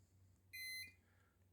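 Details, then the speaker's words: Electric motor speed controller after motor replacement and throttle calibration, reconnected: short, clear high beep stepping between two notes, then silence, the normal power-up tune. "so if i disconnect and reconnect i get the normal startup turn"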